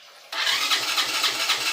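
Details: Small 50cc Bravax motorcycle that starts on kick but not electric start: starter whirs in quick pulses about four a second, engine never fires; weak old battery fails electric start.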